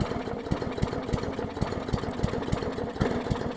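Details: 2014 Bolens push mower with Briggs OHV engine, leaky needle and seat; very flooded, lumpy uneven firing about three beats a second, stumbling and catching while clearing excess fuel; running rich.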